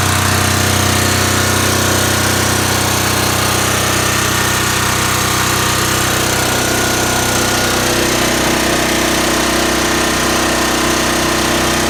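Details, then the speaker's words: Voltmaster 13000 generator with a 2-cylinder Lamborghini diesel engine: loud, steady diesel clatter holding an even speed throughout, no misses or surging; normal, healthy generator run. "It's got a 2-cylinder Lamborghini engine. It's diesel. I'm going to fire it up right quick and let you hear it."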